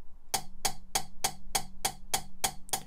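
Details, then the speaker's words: Mitsubishi Evo 4G63 cylinder head rebuild, +1mm oversize valves, nitrided inlet valve being lapped: crisp even pops about three times a second instead of metal-on-metal; properly lapped valve seat. "can clearly hear that there's a popping noise as opposed to like a metal-on-metal noise so that's uncut and this one's cut so you can clearly hear the noise change when they get cutting"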